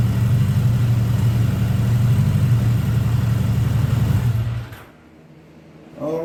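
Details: 1979 Honda GL1000 Gold Wing flat-four after valve seal replacement to cure excessive smoking; steady, smooth low idle with no misses or ticking, then the engine is shut off; normal idle.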